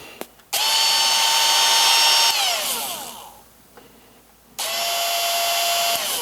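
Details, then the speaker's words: Makita XMU04 grass shear motor that had been not running and surging, now run on a bench supply. Steady high whine dropping in pitch as voltage is turned down to 13 V: normal motor run. "so you can hear on the pitch that it's controlling the voltage so now we have 13 volts so this is uh this is all doable it works continuous duty"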